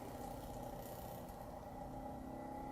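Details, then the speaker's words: Xin Tester LED digital magnetic stirrer mixing resin, turned up high but not full: quiet, even hum with a steady mid tone and no chattering; running smoothly. "here she goes she's humming now I got it cranked up pretty good I ain't got a full blast as long as you don't hear that chattering you're good to go"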